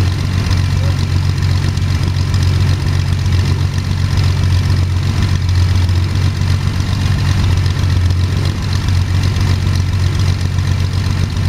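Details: First start of Jabiru 3300 six-cylinder in plans-built Sonex with Rotec TBI, 50 hours on engine, mixture full rich, oil pressure 42, charging: steady even low drone, smooth firing beat, no knocks or rattles; sounded really good, normal idle.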